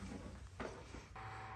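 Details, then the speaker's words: Onefinity CNC controller that stopped powering up, tested with the e-stop and power switch bypassed: soft click, then a steady light whir as the controller fan runs normally; fault traced to the e-stop switch. "bypass the e-stop bypass the power switch and it works you can hear it run"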